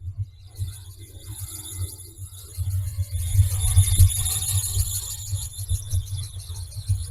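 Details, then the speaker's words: 1981 Chevy C1500 after a bottom-up engine rebuild with new lifters and a big cam. A loud, shrill, steady squeal rides over the idle: the belt is squealing. "As you can hear, the belt on this thing is not happy."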